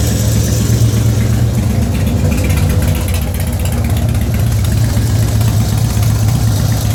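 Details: 2004 Harley-Davidson Softail FXST V-twin, almost 10k on the engine, ridden hard, HD Syn3 in all three fluids; faint light ticking over loping idle thump began after a recent fluid change.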